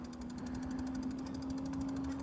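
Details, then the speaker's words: Monarc Marker e-bike hub motor on pedal assist 1 plus thumb throttle, climbing a slight incline: steady mid-pitched whine over quiet road noise as the motor strains, normal under load. "You can hear a little bit of whine. It's just, you can hear it really trying."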